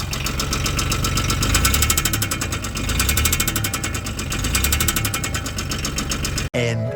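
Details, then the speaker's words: Polaris crew cab UTV with 1000cc 3-cylinder Yanmar diesel that ran out of oil after the drive shaft wore through the oil filter, possibly due to a bad motor mount; heavy regular knock about four per second over diesel clatter at idle; owner thinks cylinder 1 is gone. "It's got a knock because the drive shaft wore through the oil filter and they run out of oil."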